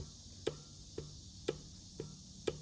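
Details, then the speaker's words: Ford 302 V8 from a Mercury Cougar XR7, abandoned 19 years, torn down after running minutes without oil pressure from a locked oil pump: bare crankshaft shoved back and forth clunks sharply about twice a second; excessive crankshaft end play, all rods loose, engine worn out. "there's a lot of crankshaft thrust on it so all the bearings this whole motor is just really wore out and ready to be refreshed"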